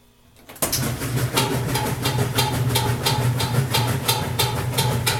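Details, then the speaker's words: Roper washing machine on the rinse cycle after a long soak with laundry: steady motor hum with sharp knocks about three a second; owner unsure where the knocking comes from. "can hear that knocking sound. Just really not sure where that's coming from. And it's on the rinse cycle, just so you know."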